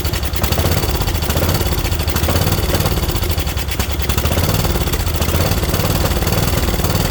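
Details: Craftsman mower with Kohler Courage single: rough, pulsing chug surging and sagging without settling; owner suspects a trashed carb bowl and butterfly position, carb removed next.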